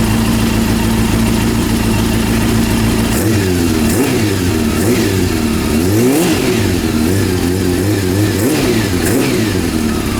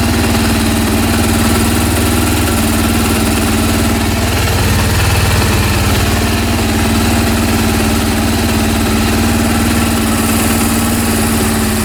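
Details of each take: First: Honda CB400 after engine rebuild, mixture and carb synchronisation adjustment: crisp revs climb and drop cleanly, settling to an even idle with no knocks or rattles; healthy. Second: Honda CB400 after home engine rebuild, third start attempt: steady idle with uneven lumpy mechanical beat underneath; covering an intake raises rpm and the sound disappears; abnormal idle, cause unclear.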